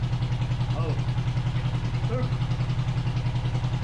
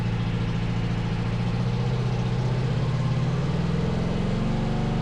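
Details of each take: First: 500cc twin-carb buggy on a stand, on choke warming up after sitting since winter: lumpy uneven idle with heavy low pulse and missing beat; one carb shows no vacuum, engine running on only one cylinder, suspected lack of fuel. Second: 500cc twin-carb buggy, carbs being balanced with Motion Pro SyncPro: deep steady throb climbing smoothly as revs rise, a bit of backfire; both cylinders even at higher rpm, one lags slightly at low rpm.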